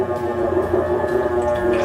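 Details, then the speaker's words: Whirlpool washer agitator during the spin stage: steady even hum with a low droning tone, no knocks or grinding; normal sound, washer working properly. "is made by the agitator in the spin stage remember that these sounds are normal and they mean that the washer is working [Music] properly"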